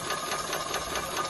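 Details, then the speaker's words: Maxitrak 5-inch Alice steam locomotive, brand new, on air with cold water, check valve nut undone to test axle pump: fast steady mechanical clatter with even beat; pump working properly, delivering plenty of water. "so if you open this little valve up open this little nut off you should get quite a lot of water"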